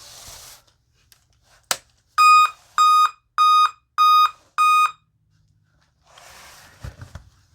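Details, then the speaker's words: 2016 Dell Inspiron 15 3000 series, sat unused 2 years: five loud evenly spaced high beeps at startup, repeating, warning of a dead CMOS coin cell battery. "So, it does five loud beeps. It repeats and then as soon as Windows starts up, uh the Windows volume takes over and then it gets reduced."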